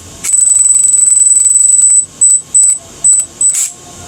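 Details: Arma RC car's Vortex electric motor has failed: a shrill, warbling, high-pitched screech from worn bearings.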